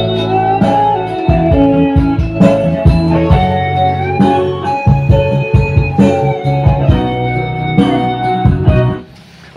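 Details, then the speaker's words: Sound Queen active speaker, previously hoarse and quiet: after replacing the speaker driver, music plays full and clean at steady volume with no rasp, buzz or crackle on bass notes. It works properly again. "E dan ternyata betul setelah saya melakukan pergantian SP dari speakernya dan speaker ini nyala dengan normal kembali."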